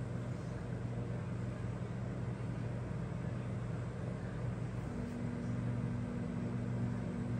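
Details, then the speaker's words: Rheem generation five hybrid heat pump water heater, discharge 115°F, suction 86°F: compressor comes on, then steady low hum with smooth fan whoosh, no knocks or rattles; compressor and fan running normally. "and wait a minute for that pump compressor to come on and it's running now you can hear it come on"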